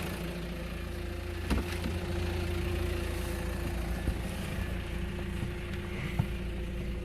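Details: 2016 Mercedes A-Class after clutch, flywheel and leaking clutch master cylinder replacement: engine idles steadily while gears including reverse are selected, only a few light clicks, no grinding or clunk; shifting sounds normal.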